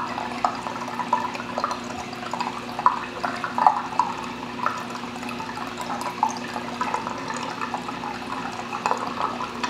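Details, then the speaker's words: Bean Animal style aquarium overflow just after the return pump starts: steady rushing water with scattered bubbly gurgles and small splashes as air is sucked from the siphon line, about 1 to 1.5 minutes before the full siphon kicks in. Normal startup gurgle. "You hear the bubbles getting sucked out of that thing back there. And now the level will start dropping."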